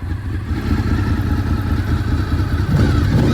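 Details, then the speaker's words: 2003 Honda VFR800 (5th gen) V4 with a Two Brothers exhaust warming at idle after 8 years of storage, temperature around 98° heading to 200°: steady low burble with an even beat and a brief blip near the end; sounds healthy. "sounds pretty good even with this uh two brothers sounds pretty good though hard to make a V4 sound bad"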